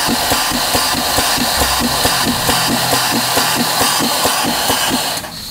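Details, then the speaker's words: DIY waterjet cutter intensifier pump on test run with open ports: fast, fairly even clacking pulses about twice a second with hissing air; the pump is cycling dry with no back pressure to press against. "reason why is it doesn't have anything to press against but this is kind of cool to hear it cycle and not cycle it dry"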